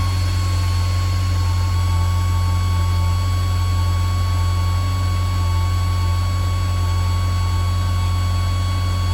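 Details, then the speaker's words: 1997 Ferrari F355 V8 (Tipo F129B, Motronic 5.2) idling after new spark plugs and ignition coils were fitted to cure a misfire. Steady, even idle with a deep, smooth exhaust note and no stumbles; misfire rectified, normal idle. "sounds good to me guess i'll move some cars and we'll take it for a drive"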